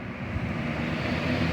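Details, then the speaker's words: Wind Machine three-speed fan after repair (seized motor, bushings oiled, dirt and lint cleaned): spins up smoothly with a strong steady whoosh and even low hum, no squeal or rubbing; good power, no smoke or sparks. "oh yeah that's got good power it's a three speed so there's low medium High not seeing any smoke not seeing any Sparks"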